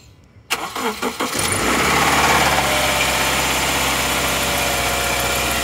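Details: 2013 Subaru Outback 2.5L FB petrol on 0W-20 oil, cold start with the block cold: brief crank, catches, fast idle with a busy metallic rattle from the top end; worse and longer in hotter ambient temperatures.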